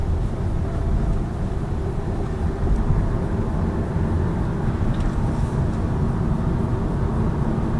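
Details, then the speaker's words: 2018 Lada Vesta Cross driving over a rough road after the multimedia trim frame was padded with double-sided foam tape: steady low road rumble with no dash buzzing; some vibration remains from the instrument panel. No dashboard trim rattle. "Но нету дребезга этого. То есть простым таким способом убрали его."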